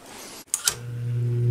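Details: Lakewood S-223 box fan with Westinghouse motor, bearings healthy and freshly oiled: switch click, then a steady low hum swells as the motor spins up; owner notes a humming issue.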